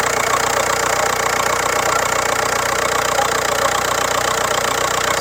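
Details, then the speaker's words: 2005 VW TDI diesel idling, broken vacuum hose removed and capped, vacuum gauge on pump (spec 28 inHg at idle) to test for hard brake pedal: steady even diesel clatter, no misses or knocks; normal idle. "So we're going to idle the vehicle. Good spec for this is 28 inches of vacuum at idle. Let's fire it up."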